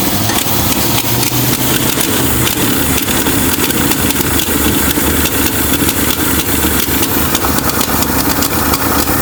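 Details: 1966 Mustang first run, with a fuel problem and needing a carburetor: rough, uneven idle with sharp, irregular pops and ticks from a tiny hole in the exhaust manifold. Exhaust manifold leak.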